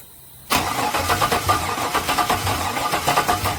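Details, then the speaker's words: LS-swapped Chevy with no spark, fuel pump wired to constant hot: the starter spins the engine in a steady rhythmic churn for about three seconds, but it never fires. Cranks, no start. "Another day of nothing but cranking and no starting."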